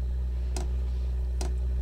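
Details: Diesel heater (Dual Top) run without ECU on simple controllers, fuel pump pulsed 25 ms on, 800 ms off, while lighting: crisp single ticks about every 0.8 seconds over a steady low hum; normal fuel pump ticking.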